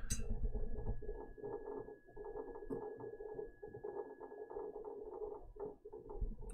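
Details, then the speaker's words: NAS during a real-time RAID rebuild with all drives accessed, recorded by a mic held up to the unit: low steady hum, faint high tone and quick irregular seek chatter of about four clicks a second; busy drives, normal. "last one is a raid rebuilt happening in real time with all the drives being accessed"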